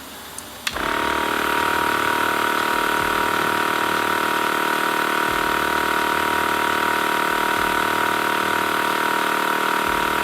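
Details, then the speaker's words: TACKLIFE M1 tire inflator chuck screwed fully onto a car tire valve at 22.8 psi, aiming for 35 psi: a faint air hiss, then the compressor buzzing steadily while the poorly sealed chuck leaks more air than it pumps in. "all right and already you guys can hear the hissing it is definitely letting air out"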